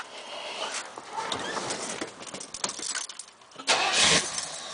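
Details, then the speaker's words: 1971 Buick Centurion Convertible, 455 V8 with 400 transmission, starting: a brief crank, then the V8 catches cleanly and settles without stumbling or extra noise; healthy, easy start. "So as you can see, the car cranks up without any problems."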